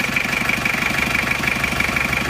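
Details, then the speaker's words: Isuzu Panther 2.3 diesel after a rebuild for a blown head gasket with compression leaking into the coolant, idling with the pump timing being retarded slightly: fast, crisp ticking about ten times a second over a humming idle; the valve lash is still set too loose. "tapi ini Kelihatan sekali kalau setelan klepnya masih terlalu longgar ya Jadi selain bunyi kresek-kresek seperti ini"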